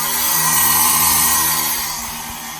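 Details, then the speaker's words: Volvo 850 1000 hp fuel system build: twin Bosch 044 fuel pumps on new 8-gauge wiring and relays, run briefly in test mode. Smooth, steady high-pitched whine with an even hiss that fades as the pumps stop; both pumps run cleanly and normally. "So those work great. Let's make sure none of the wiring's hot."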